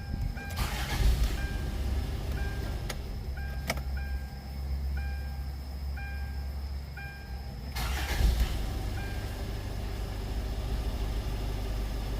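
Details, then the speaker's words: Older Hyundai Tucson after replacing the failed non-charging alternator with a remanufactured unit, battery recharged: quick crank catches cleanly into a steady even idle without stumble; normal engine start. "자, 이제 발전기에서 서서히 충전해서 배터리에 충전이 많이 되었습니다. 이제 제 발로 시동도 걸릴 것 같습니다. 한번 걸어 보겠습니다."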